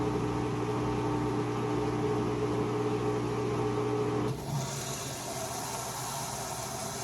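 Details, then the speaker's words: Whirlpool washer WFW75HEFW0 with E1/F9 drain error codes from a clogged pump filter: steady pump hum with mid-pitched drone and fast buzzing pulse while water exits the hose, cutting off partway; drain pump sounds rough. "listen for the pump it does sound like it's pumping you can hear the water coming out the hose it just doesn't sound"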